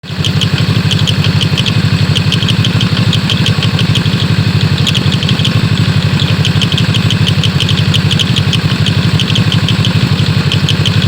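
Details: BRP CVT clutch at 14,000 km making a light, quick clicking at idle, about three clicks a second.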